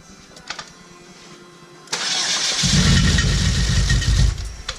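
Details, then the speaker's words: Chevrolet HHR turbo build, first start, low battery: starter cranks at a steady churn about three and a half beats a second but the engine never catches; no fuel in the system yet, key not cycled to prime the pump. "Probably gonna get fuel in the system. That's what it is. There's no fuel."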